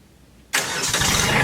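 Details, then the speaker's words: Kubota B2601 diesel tractor started after sitting unused for a month in cold weather, fitted with block, oil and transmission heaters: catches almost instantly and settles into a steady, even idle with no stumbling; normal cold start. "Well, that worked pretty good. It started right up. Of course, I have a block heater, an oil heater, and a transmission heater on that tractor, so that wasn't an issue."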